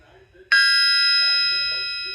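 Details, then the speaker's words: Big-block crankshaft struck on its side with a brass hammer: one strike gives a clear, high bell-like ring that lasts and fades slowly, with no dull thud. No substantial crack; fit to put in a motor. "Well, you could just hear that just ringing. And that, to me, I'd have no reservations putting that right in a motor."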